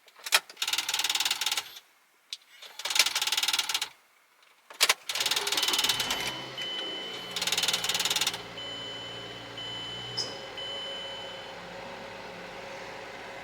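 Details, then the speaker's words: 2007 Mazda 3 Sport with 178,000 miles at startup: repeated harsh grinding bursts of about a second each from the jammed six-disc CD changer, which has discs stuck on top of each other, then the engine settles. "that sound that you are hearing that uh definitely sounds like there could be something wrong with the car is actually this six dis player it has a bunch of discs stuck on top of each other in there"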